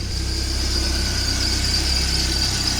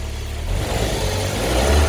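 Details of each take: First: Car engine at idle, accessory belt not replaced, tensioner replaced earlier, oil on belt and pulley: constant high-pitched squeal over steady idle as the oil-contaminated serpentine belt slips on the pulleys. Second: Car serpentine belt with a warm engine, after spraying and blowing clean the oily belt and pulley grooves (tensioner replaced earlier, belt not replaced): engine revs up cleanly with a smooth rising note, squeal gone.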